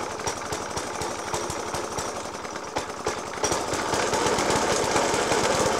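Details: Suffolk Punch 30S petrol lawnmower (1991 era) with Dellorto FCH 20 carb: heavy uneven bangs about three a second through a rough idle, persisting after spark plug change, decoke and carb clean; cause unclear.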